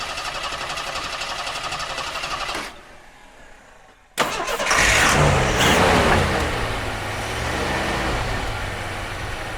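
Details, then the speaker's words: Jeep CJ5 not started in about 34 years, tried without starting fluid after fresh gasoline was added. Cranks briefly, catches after a pause, then settles to an uneven, lumpy, slightly hunting idle. Rough running; owner suspects old gasoline in the lines. "it's probably got bad gas in the lines just trying to well that's it's that old gasoline in there you know we didn't clean that crap out"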